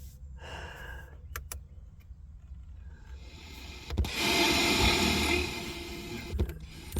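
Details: 1988 Oldsmobile Cutlass Calais International, Quad 4 engine, key at accessory: power antenna mast motor gives a smooth electric whir of about two seconds, no grinding or stalling, running normally, though the antenna mast earlier seemed not to move.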